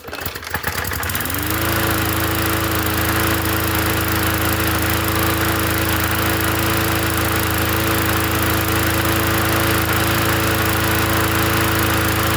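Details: Free 20-inch Bolens gasoline push mower from the dump, first run after adding gas: it pulls over, catches within a second and settles at once to a steady, even drone with no hunting or surging; runs clean.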